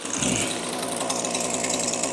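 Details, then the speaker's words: Echo SRM-2620T two-stroke string trimmer, two years daily use with no maintenance, 50:1 mix: runs rough and muffled, bogging down on any throttle, weak exhaust flow; clogged spark arrester screen restricting exhaust. "you hear it's like really bogged down sounding so as you heard there it's definitely struggling you can hear it completely bogging down when i give it any throttle"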